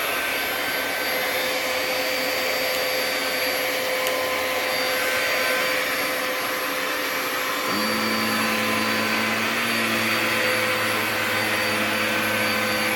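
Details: Bissell Powerglide 1647 vacuum after cleaning restoration (disassembled, vacuumed out, wiped, plastics polished), part refitted and run: steady high rushing whir with even clean tone, no rattle or grinding; motor runs smoothly and healthy.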